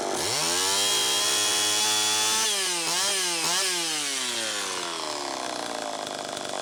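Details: Homelite Super EZ chainsaw on test run after the carburetor was fixed and the high needle reset from about four turns out to one turn; screams high, then rpm hunts and surges before dropping off, running lean. Bad crankshaft seal air leak suspected.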